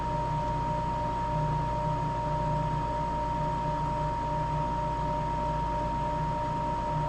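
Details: Napoleon NPS40 pellet stove starting up after replacing the ignitor and ignition snap disk; the ignitor glows and the repair works. Steady blower hum with a thin constant whine, no rattling or scraping; normal startup while waiting for the snap disc to click.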